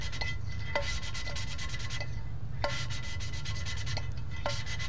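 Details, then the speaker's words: 327 engine rebuild, hand-lapping valves into their original seats with a suction-cup lapper: back-and-forth strokes with soft even hiss and light taps, no gritty rasp left, so the seats have cleaned up. "you can definitely hear the sound change when those surfaces uh get nice and cleaned up and essentially that's really all I'm doing"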